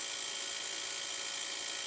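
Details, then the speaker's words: Small 24 V DC centrifugal water pump converted to automatic with a pressure switch, tap fully open so the switch closes; even high-pitched whir, running smoothly without surging or knocking. "ตัวสปริงนี้จะดันเพื่อให้ต่อวงจรนะครับปั๊มก็จะทำงานเสียงดังแบบนี้"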